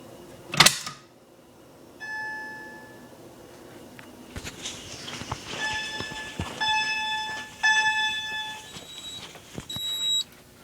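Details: FCI 7100 2D addressable fire alarm control panel test: handling clatter, then a distant electronic chime tone in repeated bursts as the system goes into alarm from the kitchen manual pull station.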